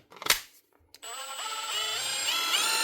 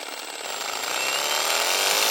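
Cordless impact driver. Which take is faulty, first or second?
second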